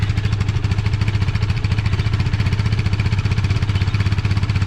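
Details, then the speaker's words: KTM Duke 390 started first try after two weeks parked, warming up, parked beside a wall that makes the exhaust boom: deep, steady single-cylinder thump, regular pulses, no knocks or misses; normal idle. "അടിപൊളിയല്ലേ sound കേൾക്കാൻ വേണ്ടിയിട്ട്. ചുമരിൻ്റെ സൈഡിൽ ഇങ്ങനെ ഇരിക്കണ കേൾക്കുമ്പോഴേ ഭയങ്കര മുഴക്കം പോലത്തെ sound കേൾക്കണം കേട്ടോ."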